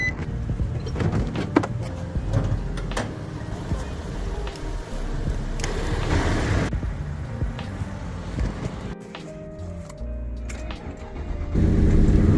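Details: Infiniti Q56 V8 after crankshaft sensor replacement: it starts and settles into a steady low idle with no misses or stumbles, running normally.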